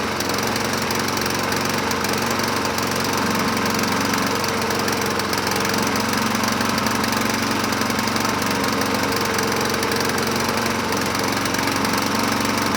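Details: 2007 Honda HRR2162SDA mower, single cylinder, started on choke after a stuck-open intake valve (zero compression) was freed: a steady, even beat with no misses or knocks; running normally.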